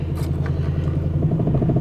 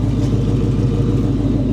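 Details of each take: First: Car that has been running badly and trying to die, with a quarter tank of gas, new fuel pump, new battery and new sending unit: low idle drone with an uneven, pulsing beat. It runs rough; cause unknown. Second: Carbureted car, cold start after sitting at least 24 hours, gas pedal pumped a couple of times: deep, steady idle rumble with an even beat and no misses or stumbles, idling on its own. The idle is normal.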